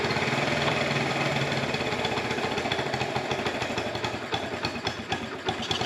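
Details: 1984 Honda TRX70 quad after years sitting, on chainsaw gas with choke on: small single fires easily into a quick, slightly uneven buzzing idle; smells a little rich.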